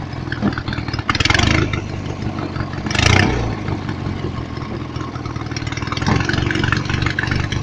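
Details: Lawnmower engine with an added alternator under load: uneven idle with irregular surges every second or two; owner suspects a weakening fuel pump, possibly drilled into; not confirmed.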